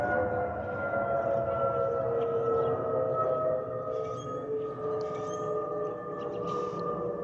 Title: Delta Airlines Airbus A320-212 N342NW DL2498 LGA-DTW (FOPP whistling sound)